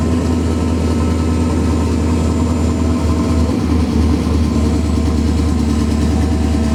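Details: Engine idling after replacing spark plugs, ignition wires and coils, cleaning the MAF and replacing leaking cat-back exhaust gaskets; firm, even idle with steady low hum, no ticking, popping or exhaust puffing, normal idle.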